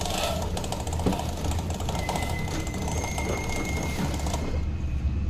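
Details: Samsung washing machine: fast, even slapping tick over a low motor drone with faint squeal tones; drive belt noise.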